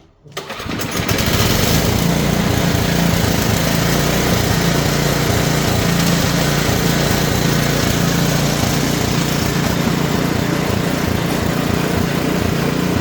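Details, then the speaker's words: Simplicity two-stage snowblower single-cylinder engine after adjusting the drive friction disc; catches and settles into steady even drone with no misses or surging, running properly, much better. "all right all right that's much better huh"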